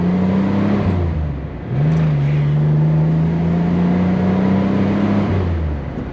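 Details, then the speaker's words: 1964 Corvair convertible, rebuilt engine, accelerating on the road, heard from inside: smooth, even flat-six note climbing steadily in pitch with no knocks or misses; engine sounds healthy under acceleration. "I don't know if y'all can hear it that good, but it sounded good from in here, so it's not a bad little car, that's for sure."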